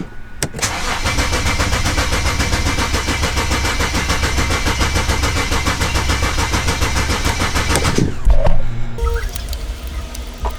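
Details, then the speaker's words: 2007 BMW 335i N54 after twin turbo replacement with new downpipes, inlets, outlets and cooling parts: cranks briefly, catches cleanly and holds a steady, even idle with no misfire or rattle; normal start and idle. "i'm surprised that it's running the way it's running but uh that's exactly that was the plan uh from the beginning it was to get it back running boosting and working right in it and it is"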